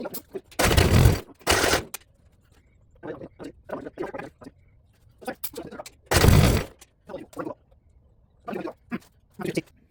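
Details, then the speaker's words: 1972 Gravely 816 with Kohler Command 18, after oil was added and before carb modification: two short cranking bursts, a pause, then another, with faint pops but no start. A fuel or carb problem is suspected, not confirmed. "Well, now what's your excuse for not popping off?"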